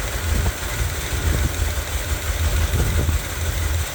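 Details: 1978 Corvette V8 started with windowed valve covers for diagnosis: low, lumpy idle with an uneven beat and soft irregular thumps from a damaged camshaft; a hydraulic lifter shows wear.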